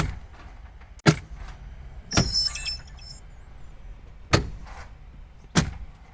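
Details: 12-year-old Smart Fortwo 451 Brabus with ignition on, after its clutch actuator was cleaned and regreased, before electronic calibration: short motor whir, then firm single clunks a second or two apart as gears select cleanly. Normal actuator operation.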